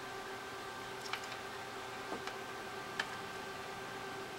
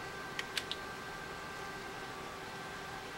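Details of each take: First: 3rd-gen iPod: faint uneven ticks every second or two over hiss, no steady spin-up hum; hard drive gets signal but fails to spin up, owner suspects drive is dead; drive and battery replaced. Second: iPod 3rd gen after its hard drive was replaced with a 10 GB unit and the battery replaced, on first plug-in: a few light ticks, then a faint, even whir as the drive spins up and seeks normally. It boots, lights up and charges.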